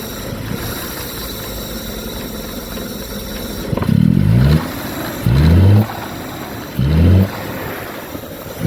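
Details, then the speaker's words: 1969 Jaguar XJ6 Daimler Sovereign Series 1 petrol six, abandoned 18 years: rough idle with constant thin hiss, blipped three times; intake vacuum leak. "you can hear the vacuum leak good engine though good little engine"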